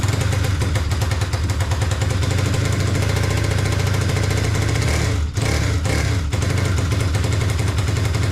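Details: Kawasaki KFX450R after charging low battery and priming fuel pump: single cylinder pounds loud and uneven with ragged stumbles and brief dip; cam timing correct, exhaust valve clearance too tight (slipped keeper raised tappet).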